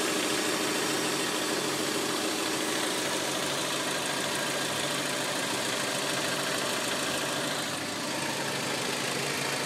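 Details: 2003 Hyundai Elantra petrol engine idling: steady light ticking about three per second at the back of the engine; owner also notes a low rumble in drive and reverse that disappears in neutral and park.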